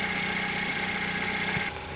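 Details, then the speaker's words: 2013-2015 Chevrolet Malibu LT 2.5L after engine and transmission replacement, idling while checked for leaks: steady, even hum with no knocks or misses; normal idle, engine sounds pretty good. "is cranked up and running here. The engine sounds pretty good. I have not really checked it out much."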